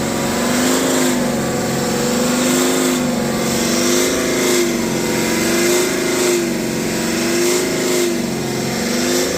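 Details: BMW X5 40d with N57 diesel, no fault codes and otherwise running perfectly, revved repeatedly: droning boom swelling toward about 3000 rpm, as if some part resonates; heat shields and loose parts checked, source unidentified, present since previous owner.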